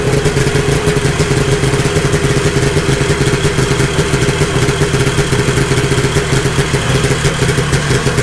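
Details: 1972 Ski-Doo Nordic 440 snowmobile with a fully rebuilt two-stroke engine and a preliminary carburetor adjustment, cold started after a week sitting. Loud, even drone holding steady speed with no misses, surging or clatter; running properly.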